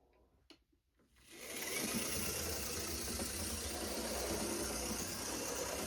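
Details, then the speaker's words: Tyco GP20 HO scale locomotive after truck cleaning, running under power: steady even motor buzz with no catches or stalls, good in reverse and even stronger forward; normal running. "It seems to do pretty well in reverse. Let's flip the direction and see how it goes forwards. and it seems to be even stronger going forward."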